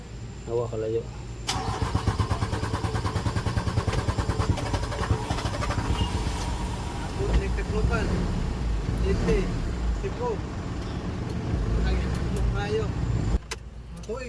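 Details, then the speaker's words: Mitsubishi Canter 4M50 truck with a hard-start problem: long steady cranking that never catches, though the engine has good power once running; starters keep failing from the long cranking, cause not yet found, injectors to be checked. "observe natin dito na sobrang taas ng cranking bago pa umandar malakas naman yung power ng engine Ang problema lang talaga dito ay hard starting"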